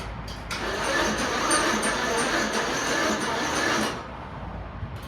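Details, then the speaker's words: Slam mower in cold weather: starter spins engine steadily about three seconds but it never catches or fires; cranks but won't start, cause unknown. "I wish this thing would freaking start."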